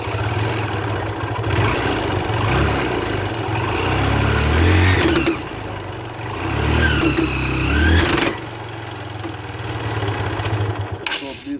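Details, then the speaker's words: Motorcycle running: harsh uneven rattling surges from the front drive sprocket, whose teeth are worn out so the old, poorly lubricated chain slips over it. Fix: replace the complete chain and sprocket kit. "this are completely worn out and this chain slips over this sprocket and this uh sprocket is not able to draw this chain and this happens when the chains are very very old or if the chains are not lubricated properly"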